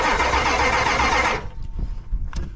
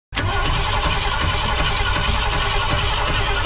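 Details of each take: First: Ford truck from a graveyard revival (7.3 IDI diesel or 300 six), cranking on only one battery. Steady, even cranking for over a second without firing. No fuel is suspected, possibly a plugged fuel filter, though fuel pressure looks good. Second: Long-abandoned Ford graveyard revival (7.3 IDI diesel or 300 six) after cranking and a possible fuel pump issue. The engine catches and settles into a steady, even low rumble with no knocks or misfires.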